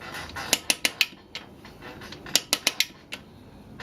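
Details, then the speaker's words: 1969 Honda CL160 engine rebuild, input shaft held while the clutch basket is turned back by hand: crisp metallic clicks in runs of three to four from the spring-loaded dog gear ratcheting. Normal ratchet. "you should hear if you hold the input shaft you should hear it clicking back like it's doing there and that's just the dog gear inside ratcheting its way it's spring-loaded so it's meant to ratchet"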